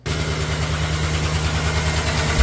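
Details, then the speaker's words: GM V8 idling: rough, uneven rumble with a light tick from a collapsed lifter (lifter failure) on cylinder 7, ongoing for about a month. "would not believe how many of these engines Drive in with that lifter failure tick"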